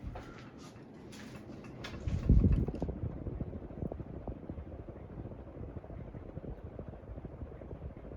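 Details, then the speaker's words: Boston Harbor Hugger 42-inch ceiling fan on high speed: a soft steady whoosh, then one brief loud rumbling knock that fades away. An unexplained one-off noise that did not return; cause unclear. "Not sure what that noise was, but it's gone now."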